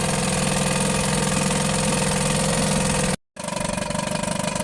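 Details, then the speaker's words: Johnson Seahorse outboard after carburetor refit and impeller change: small two-stroke settles into a quick, steady idle with even popping pulses, no stumbling; water output from tell-tale holes seems low. "so I just got it to idle really nice yeah"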